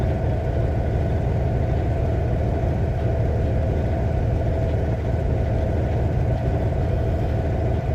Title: Rough idle Cummins ISX 2006 CM870